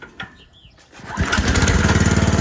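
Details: Chinese mini-excavator with a Rato 420cc engine whose electric start was dead, started by pull cord: after a quiet pull the small engine fires first try and settles into a steady, even run; normal start and run.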